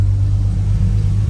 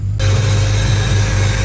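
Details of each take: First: Vehicle after drying a water-affected throttle position sensor: quiet, steady low hum idle with no hunting or stumbling; TPS issue resolved, engine running smoothly. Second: Steady idle with a loud, constant hiss of air drawn in over the engine hum, which the owner blames on a cheap aftermarket throttle body and its idle air control; intake noise louder than it should be, cause unconfirmed.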